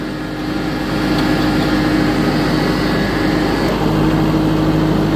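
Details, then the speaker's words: Kubota diesel tractor whining from the hydrostatic transmission (HST) at the rear after a service with restrictive aftermarket filters; the whine goes away with the clutch pushed in, so not the throwout bearing. "So what you want to do is get the right filters, because this one, after they did a service, is now whining from the HST."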